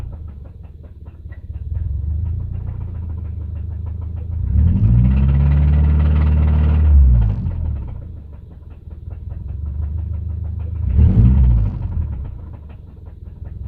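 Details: 2005 Subaru EJ253 naturally aspirated engine: a deep, steady knock under the idle that gets louder and quicker with each throttle blip, consistent with connecting rod knock.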